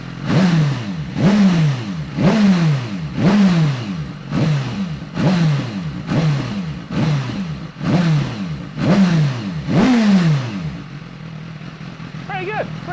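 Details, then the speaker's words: Salvage write-off BMW S 1000 RR superbike rebuild, engine warm, standard silencer fitted, air box off so it sounds fruitier: about ten quick blips rising crisply and falling back, clean and even with no knocks or rattles; revving normally. "engine's nice and warm now time for a quick sound check so this is the standard silencer sounds a bit fruer cuz the air box is off but this is what it sounds like"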